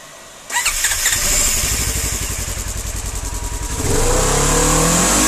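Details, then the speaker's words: 2016 Ranger 900 XP sunk in water; after draining water from engine, flush box and muffler and fitting 5W-20 oil, first crank: fires quickly, settles into an even beat and revs cleanly, no misses or knocks, running healthy. "well it looks like she's okay"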